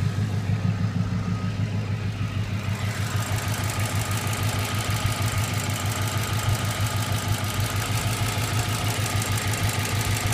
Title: Ticking noise